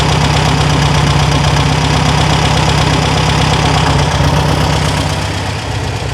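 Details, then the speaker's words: 1974 VW Super Beetle air-cooled flat-four just after fitting a new Pertronix ignition: it turns over and fires up into a steady, even fast idle with a low throb and no misses or knocks. Normal running. "all right bumps over fires up sounds good"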